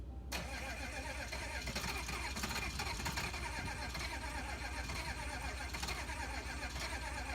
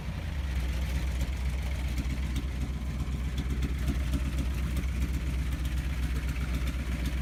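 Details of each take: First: 1986 GMC dually, 6.2L diesel, rewired after sitting over 2 years: starter chugs unevenly, turning the engine over for several seconds without it catching; hard start. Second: 1986 GMC dually 6.2L diesel, rewired after sitting over two years, just started with smoke: deep steady idle with even low firing pulses about four a second, no misses or knocks.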